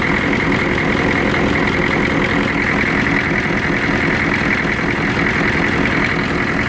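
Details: 1993 Chevrolet CK2500 6.2 diesel idling with an uneven, lumpy chug about two or three beats a second, shaky clatter and vibration; rough idle, cause unclear.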